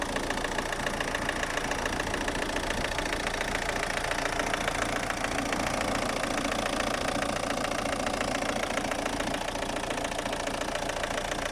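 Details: Opel Astra G 1.7 DTi 16v 75 hp Y17DT diesel with power loss and a tractor-like noise: idle with a hard, even tapping three or four times a second; injector, new TDC sensor and overhauled injection ECU haven't cured it.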